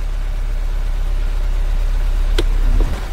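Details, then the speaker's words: 2015 Kia Soul 1.6 L with check engine light: deep, heavy idle with an uneven low shake, stuck in open loop with long-term fuel trim 5.5%, whole car shaking; a cylinder is misfiring from a faulty ignition coil. "yeah this engine is shaking like crazy open loop fort [Music] so a long-term fuel trim was 5.5 percent I don't know if you can see the camera shaking the whole car is shaking like crazy"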